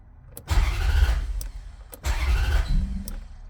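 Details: Hard starting, prolonged cranking: two long rumbling crank bursts about a second and a half each, only a faint catch after the second; cause unknown.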